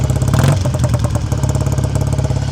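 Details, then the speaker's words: 1959 BSA A7 Shooting Star 500cc twin motorcycle, still cold, choke off, heard near the exhaust: idle runs too fast with a quick, steady thumping beat until the idle screw is turned down. "Just turning the idle screw down cuz I was could hear that it was running quite fast."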